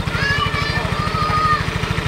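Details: Yamaha Mio Soul i 125 (MSI 125) CVT: noise like a rat in the transmission side when revving, absent at idle. An even idle beat with a thin scraping whine above it, caused by the kickstarter gear rubbing on the crown gear.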